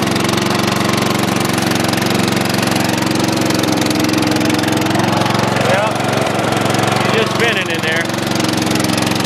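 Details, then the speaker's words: Dynamark mower engine with fresh gas, fired up first pull: small single-cylinder engine holding a fast, fairly steady putter, running evenly with no obvious faults. "I really didn't expect much out of this one but up with the gas and it actually fired up first pull I've been believe it so at least we got something"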